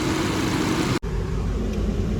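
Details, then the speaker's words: Skoda Superb petrol engine idling with an uneven, lumpy beat, worse with AC on: cylinder 3 misfire (P0303) with ignition coil circuit codes P0352 and P0353. "करो इस तरीके से लड़धड़ रही है चलते हैं इसको देखते हैं क्या निकलता है एसी चलाने पे तो बहुत ज्यादा कर रही है पूरी दर्द लग रही है"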